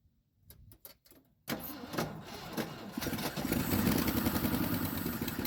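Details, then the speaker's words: 1976 Ford F-250 long-sitting farm truck, Holley 600 vacuum-secondary carb with choke stuck open, cranked on poured-in fuel; catches and runs rough and lumpy, not firing on all cylinders; owner suspects stuck rings. "well she's not hitting on all cylinders and uh that sound I'm hearing in the star it could be a totally um not froze cylinder but froze rings"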